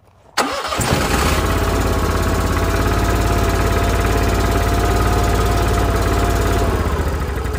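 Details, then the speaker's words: Onan Marquis Gold 5500 generator in a 2001 Fleetwood Bounder, restarted after oil was pumped down from overfill: it catches and drones steadily, then quits right away, flashing fault code 37 (invalid genset configuration, wrong frequency/rpm ratio). "that's not good quit right away flashing one two three I'll check the codes on that see what's going on"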